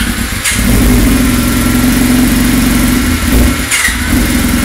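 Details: 1999 Yamaha R6 first start after engine rebuild with new cases, pistons and transmission: crisp, even firing through smooth throttle blips, no ticking or knocking under revs; healthy, normal running.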